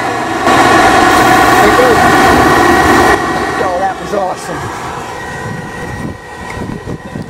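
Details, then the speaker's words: 2005 Goodman GPG10 2.5-ton, 70,000 BTU, 78% AFUE gas pack starting in heat mode: spark igniters, then a sudden whoosh as the burners catch, steady rush, settling into an even burn; clean ignition. "good old 78 percent efficient gas pack the battery's got 15 minutes on the battery i always thought they put a carbon monoxide hazard sticker on here somewhere there it goes yeah it's on"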